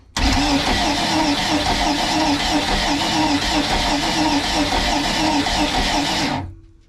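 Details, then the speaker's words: Crusader 454 marine engine, no start after water-contaminated fuel, during a cylinder compression test. Starter spins it evenly without firing; under 100 PSI is no good. Finding: low compression. "That's 85 PSI with the throttle blades totally open. That's not enough to fire."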